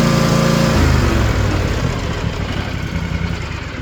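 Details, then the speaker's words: Kawasaki FR730V mower engine, newly rebuilt, about 26.5 hours, after replacing the failed ignition coil; 1,200 rpm idle then wide open near 3,200 rpm, steady strong even drone, snappy throttle, no shaking: normal full throttle. "It runs so slow smooth. Before the seat was shaking. I had no RPM. No throttle response. It's snappy now."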